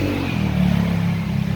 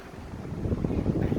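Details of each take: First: Sharp 18-inch floor fan model PJ-SL181 on speeds 1–3: sharp piercing squeal bursts under a second over low motor hum; blade not pushed fully onto its hub pin and missing locking cap; fixed by reseating and capping. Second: Sharp PJ-SL181 18-inch floor fan after repair, on speed 1: steady airflow with no squeal or rubbing; the earlier squeal came from a blade not pushed fully onto its lock pin and a missing blade lock cap.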